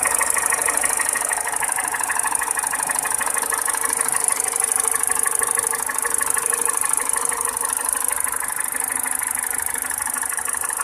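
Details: Peugeot 207 petrol engine: quick, regular clacking at about three a second rides over a steady idle; a clear mechanical engine knock, source not pinned down.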